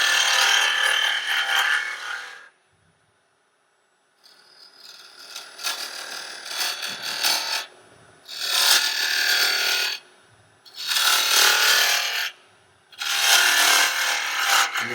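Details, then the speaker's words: Woodturning a burl-and-resin sphere with a half-inch fingernail-grind bowl gouge, not at a negative rake: repeated raspy cutting bursts with a rough fluttering edge as the gouge chatters; switching to negative rake cleans it up. "kind of hear that chatter with a bull when not negative rate will sometimes shatter on you you can clean up to the negative rate"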